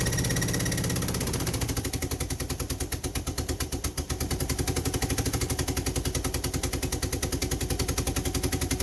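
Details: Mitsubishi car, crank but no start: steady rapid starter chugging that never catches; cracked vacuum hose between fuel pressure regulator and intake manifold, smoking and sparking, loses manifold vacuum so regulator can't adjust rail pressure, over-fueling the engine and causing hard starting.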